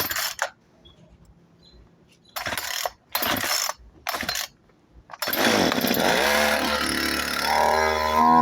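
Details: Craftsman 36 cc, 16 in chainsaw that previously pulled but would not start, run on choke: several short bursts and cut-outs, then it fires and holds a steady buzzing run that climbs with throttle; running.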